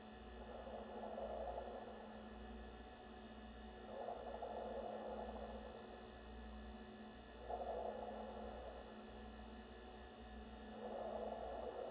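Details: New NewAir 6-inch 7-bottle compressor wine fridge: low steady compressor hum with a loud watery gurgle swelling about every three seconds while running.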